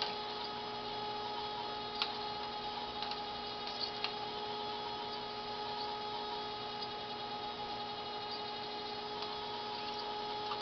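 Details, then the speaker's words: Refurbished Dokorder 8010A reel-to-reel deck duplicating a tape near the end of the reel: steady low motor hum, faint tape hiss, light ticks and the squeak of tape passing through the guides, which is normal sound. "that sound is the squeak of the of the tape actually going through all the guys it has to do it's normal sound"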